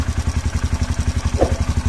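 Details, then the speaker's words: Honda CRF150 with a racing camshaft, new gaskets and a tested oil pump, first start after rebuild: an even, steady single-cylinder idle of about nine or ten beats a second with no knocks or rattles, smooth and healthy. "Bismillahirrahmanirrahim, hidupkan. Halus ya suaranya teman-teman."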